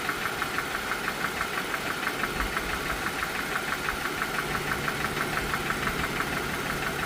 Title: Notorious Rod Engine Knock on Dodge Chrysler Jeep Ram 3.6L V6 Engines